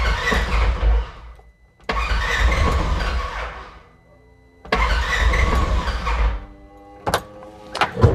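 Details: 2016 Polaris Ranger 900XP, cold, intermittent no-start that goes away once warm, battery about 12 V: three long even cranking bursts, never firing; crank no start, low voltage suspected but unconfirmed.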